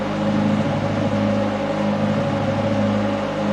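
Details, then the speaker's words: Classic Mustang with an Alloy Works aluminum radiator, engine off and cooling after a test run at about 180: key on and the fans kick back on from residual heat, a fairly loud, steady, even whir with no rattle. Normal. "you don't realize those things actually make a good bit of noise now you won't hear that when the engine's running but they do anyway"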